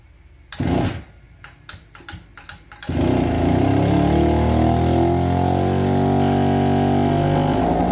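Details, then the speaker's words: APC mini chopper two-stroke, electric-started cold with no choke on the original carb with modified needle rocker: a few short starter bursts, then a steady even buzz; runs healthy and peppier than the new carb. "well not only has the original car broken up it's uh definitely a little peppier than the new one very interesting"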